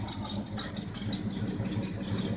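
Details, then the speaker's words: Chevrolet pickup with a 305 V8 and open pipes, cold start: loud idle with an even, steady lope and regular firing pulses, no knocks or misses; a healthy engine. "it sounds pretty good sounds like a healthy 3:05 to me"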